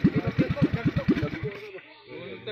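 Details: Boat engine with a newly fitted carburetor, idle still being adjusted, giving an uneven thumping idle at about seven beats a second that fades out after a second and a half.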